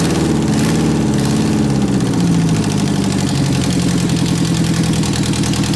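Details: 1991 Eagle Talon TSI AWD, first startup after sitting months and a new fuel pump fitted: loud, raw exhaust burble, revs climbing and falling smoothly and evenly; normal running and revving.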